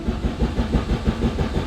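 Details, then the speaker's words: Chrysler five-speed manual car starting after the ABS pump finished priming: brief even cranking pulses quickly catch into a steady low engine run, starting easily; normal cranking and start. "come on look at that easy absolutely easy"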